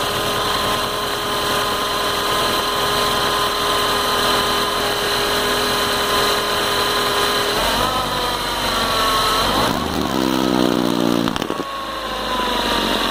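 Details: Car engine in the morning with a constant high whine over the idle, which the owner says lessens after the car has been driven a lot. Engine noise on cold start, cause unknown.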